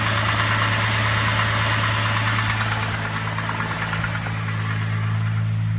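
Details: Holden VZ engine idling with a regular knock about three times a second over the hum; owner suspects timing chain or bottom end, unconfirmed.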